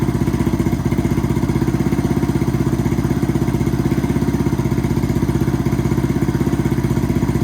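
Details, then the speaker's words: 2007 Yamaha TTR230 single-cylinder, first start after starter clutch replacement (the starter had been freewheeling without engaging): starts easily, even steady thumping about four beats a second, clean healthy idle, no oil leaks and oil level correct. "Okay, so that's been a successful repair. The bike starts up quite easily and the starter motor doesn't disengage like it did before."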